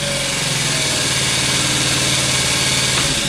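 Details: Scooter sitting for years, just started: small single at fast uneven idle with busy clattery top-end chatter; smoking, burning oil, owner suspects ruined valve seats, may replace. Valve train chatter at idle.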